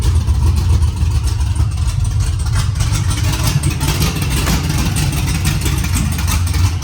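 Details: LS2-swapped 408 C10 squarebody with TS91R Torqstorm supercharger, first start, no exhaust fitted, small fuel leak: loud choppy rumbling idle with popping and crackle; loud idle on open headers.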